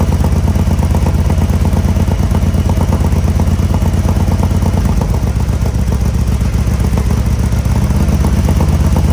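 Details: 2020 Harley-Davidson Road Glide Special with fresh 128" big bore kit, first start after oil priming, before dyno tune: deep, loud, lumpy potato-potato idle, even and steady, no knocks or clatter, some smoke; normal idle.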